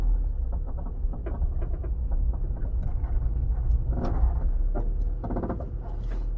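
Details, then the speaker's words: Honda CR-V after rebuild, with loose bolts and suspension parts, wheels shaking at 100 km/h: rolling to a stop, irregular dry creaks and squeaks as the car rocks and settles; suspension creak. "so another thing i wanted to show you is um oh you can really hear that creaking there"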